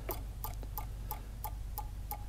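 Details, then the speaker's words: Bobcat/Doosan common rail Denso injector on bench test: crisp regular solenoid clicks about three a second with no spray hiss, nozzle not leaking but stuck closed; injector bad, needs replacing. "so now we're firing the solenoid 5 000 500 psi and we are not spraying out of this one so just like the the delphi injector this one is stuck closed"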